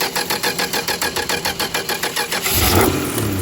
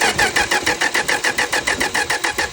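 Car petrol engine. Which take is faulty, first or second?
first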